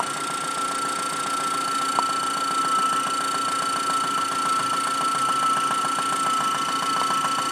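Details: 1997 Saturn SC2 at idle, heard through a stethoscope: rapid light ticking knock over a steady idle with a constant high tone. The knock began six weeks after purchase, right after high RPMs. The cause is undetermined.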